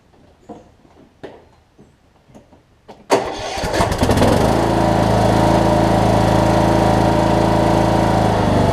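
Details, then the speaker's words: Cub Cadet riding mower, Kohler Courage single-cylinder engine, start after fitting new HIPA carb kit: a few clicks, cranks, catches right away and settles into steady even running; normal cold start. "Let me see if it starts, and I'll drive it onto the trailer and go ahead and send it back to the customer. It should start just fine, I would hope."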